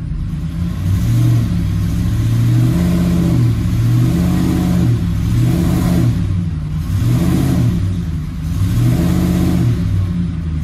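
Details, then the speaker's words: 2007 Ford F-150 5.4L 3-valve V8 after fixing the loose cylinder 2 spark plug behind a P0302 misfire, in gear and brake-torqued to stress it; coil still distrusted. Strong, even deep drone rising and falling with no stumble; dead misfire gone. "see it right there so we know our plug fixed it right we know our plug fix that dead misfire we saw"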